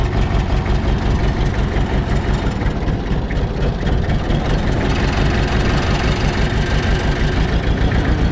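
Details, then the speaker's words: Mitsubishi BD2F dozer four-cylinder diesel just revived after years: heavy low clatter with an uneven, loping idle about two pulses a second; running rough, suspected air left in injectors so not firing on all four cylinders. "if y'all noticed yesterday this thing was running just a little rough and uh I I don't think it has all the air out of all the injectors which means that I don't think that we're running on all four"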